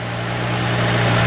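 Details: 2003 Nissan Maxima GLE 3.5 V6 first start after partial engine rebuild and new catalytic converter, smoking from cleaning oil: smooth, even low hum with no misses or knocks; idling steadily.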